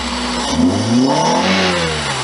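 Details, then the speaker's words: 1999 Toyota Celica ZZT231 with new pod air filter, brief rev: engine climbs smoothly and drops back cleanly with an airy intake rush; healthy, pulls freely. "pretty cool sounds like the engine lights this filter so that's all good then"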